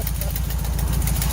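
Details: 1968 VW Bus camper, air-cooled engine, first start after years of storage and a rear engine fire, following new wiring, spark plugs, points and condenser: even, steady low putter with regular firing pulses, no misses or knocks; idling nicely on first try.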